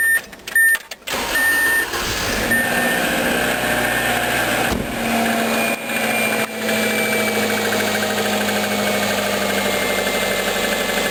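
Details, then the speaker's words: 1998 Subaru Legacy Outback petrol engine at idle, before valve clearance adjustment: steady, fast, loud light clacking like lifter tick; owner suspects valve clearance, later found not needing adjustment. "Okay, so this is a 1998 Subaru Legacy Outback, and I've been noticing over time there's this loud clacking. It sounds a little bit like lifter noise."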